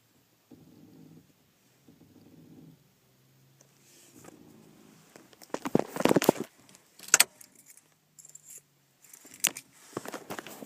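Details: 1998 Saturn SL with the engine off: short, drawn-out creaks from the brake pedal as the foot is let off it.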